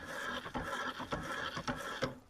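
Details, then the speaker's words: Pedal drive running in the water: soft, even hum swelling with each pedal stroke about twice a second over light splashing, normal; the hum is about twice as loud underwater. "all right so the humming noise is like two times louder under the water and that's what people say just like creates that waves you know that like vibration and scares fish away"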